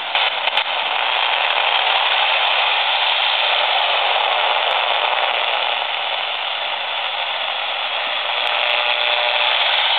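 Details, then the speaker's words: A laptop booting to its startup screen gives off a loud, steady, raspy static buzz with a fast flutter, picked up on a standard AM radio and reaching about four feet beyond the machine: electromagnetic interference radiating from the laptop. "w so field that goes down to the floor now and the computer has reached its startup screen it's very very noisy and that noise is extending out of this machine by about 4"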